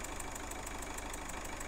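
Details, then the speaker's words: Peugeot 207 1.4 HDi diesel with EGR valve faults P0489/P1162, idling: steady chuffing/puffing about six times a second over diesel clatter; suspected leaking injector seal, owner reports diesel smell in cabin. "there's a chuffing noise or a a puffing nose or pepper so we think one of the injector seals is away"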